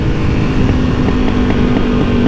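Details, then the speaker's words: Suzuki DR-Z400E single-cylinder with new Lectron Billetron Pro carb replacing stock FCR39, on deceleration: irregular crackles and pops; exhaust backfiring, linked to the original carb hose being blanked off with a bolt. "if you can hear that I'm just under Dell at the moment and the exhaust is popping like crazy"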